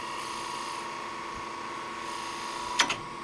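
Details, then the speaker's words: Wood lathe spindle turning with a one-inch (25 mm) skew while rolling a bead: quiet spinning hum, then a sharp double snap near the end as the tool catches after losing bevel contact. "like so if you lose the bevel contact and it's quite common to do you get nice spiral with the spindle gouge"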